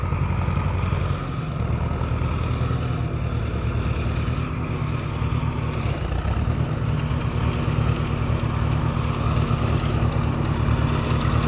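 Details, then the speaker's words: Farmall H row crop tractor. Low, lumpy, stumbling idle that keeps dropping a firing stroke; misfire, owner suspects a dead plug and has never heard it run like that. "yeah, she's definitely got a dead plug. I've never heard her run like that before."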